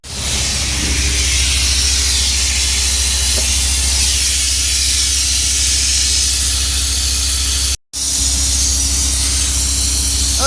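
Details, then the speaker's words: Mack truck in a blizzard, wheels chocked, brakes released, service brake pedal wedged down: loud constant hiss of escaping air at a 30/30 brake chamber whose band clamp was folded back, likely hit by rocks. "so it looks like we got going on here left a hit or rocks or something with this band clamp on this can hear it's leaking right here you can see that this band clamp folded back and right there's where our leak is"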